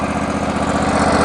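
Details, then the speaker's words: John Deere 22 hp riding mower, which has a low-oil start lockout, starting after dirty battery terminals were cleaned. An even, steady putter with no misses or knocks: normal idle. "That's the way this thing always starts. Good old 22 horsepower."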